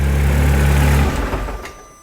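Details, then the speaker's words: Car just fitted with a replacement turbo after the old one failed: deep, even engine note runs smoothly then trails off; clean idle with no whistle, rattle or misfire. "That sounds beautiful. >> It does, doesn't it? >> That sounds really nice."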